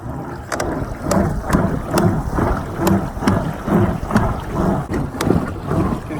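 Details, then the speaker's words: Riot Mako / Lost Creek Angler 10 ft pedal drive kayak at maximum speed on a lake: about two pedal strokes a second with sharp clicks and low churn over water and wind; drive clicks and cranks, prop starts to cavitate at speed. "can hear it clicking and cranking. You get to a certain speed and you can feel that prop starting to cavitate."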